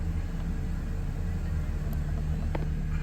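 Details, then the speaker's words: Mercedes C300 with a P0306 cylinder 6 misfire, after replacing the ignition coil and spark plugs: a steady, even low idle with no stumble or shake, firing cleanly, though the check engine light has not yet cleared. "as you can see I have no more Shake it's actually running good"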